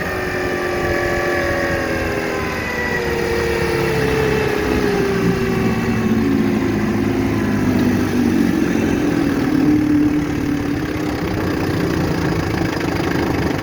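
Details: 1960 Scott-McCulloch 12hp outboard with a transplanted 14.1hp McCulloch powerhead, bronze Michigan Wheel prop, 24:1 synthetic fuel via OMC pressure tank, cruising: steady two-stroke buzz at even pitch under water and wind rush; clean, normal running at speed.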